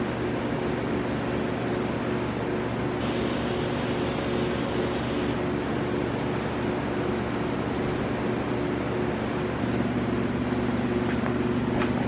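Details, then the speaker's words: Audi B5 S4 twin-turbo, engine off, pressurised with compressed air after the cracked charge pipe was welded and refitted: steady airy hiss; small remaining leak at a hard-to-reach turbo inlet clamp. "all right so the last hissing noise or a leak that I'm finding is a one of the inlets for the turbos"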